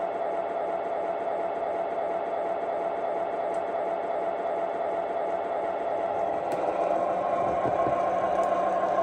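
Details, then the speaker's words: MTH Rail King PRR SW9 switcher model locomotive with PS3, new from the 2022 catalog and run for the first time: quiet motor whir with steady fast clicking, nearly three per second; the gears are dry and clicking, needing grease. "It also needs some grease on the gears. You can hear them clicking and clacking."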